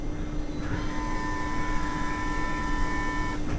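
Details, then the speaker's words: Porsche Cayenne 958 3.0 TDI diesel, after a fuel filter change, repeat fuel pump actuation test: steady electric whir with a thin high tone for about three seconds, sloshing now died down; normal priming. "Definitely some funny noises. I think it's bleeding all the air out. The sloshing noises have died down."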